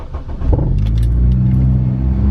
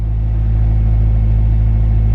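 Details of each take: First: Honda EP3 Civic with code P1519 idle air control valve circuit malfunction; stationary idle revs rise and fall unevenly every second or two, less so when driving; faulty IACV or its wiring. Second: Honda EP3 Civic after idle air control valve replacement (code P1519) and fuse repair; steady even low idle rumble, no knocks or hunting, no check engine light, no noise; healthy.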